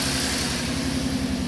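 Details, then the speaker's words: 2012 Ford Mustang 3.7 L, 70,000 miles, check engine light, stalling, lack of power, raw fuel dripping from exhaust, scope on cylinders 4–6: brief run with uneven stumbling low thud, beats dropping out; misfire, bad fuel injector suspected. "all right i'm gonna start it but it's only gonna be a couple seconds because i got leaking fuel i got raw fuel coming out of the exhaust"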